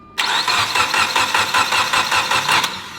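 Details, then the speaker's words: Evo X engine cranked with plugs in, crank sensor unplugged and serpentine belt off before first start: starter turns it at an even, steady beat, every compression stroke alike; healthy cranking with balanced compression. "now we're going to crank it again I just want to listen to it make sure everything sounds healthy then I'll plug in the crank sensor and fire it"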